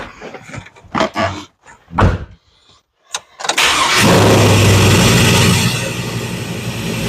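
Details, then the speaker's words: 2002 Chevrolet Silverado, cold start after the transmission, starter, driveshaft and V-band Y-pipe exhaust were installed: after a few knocks it fires into a fast, even cold idle with a tight exhaust note; the exhaust leak is gone. "Yeah, it sounds a lot better when that exhaust leak not leaking."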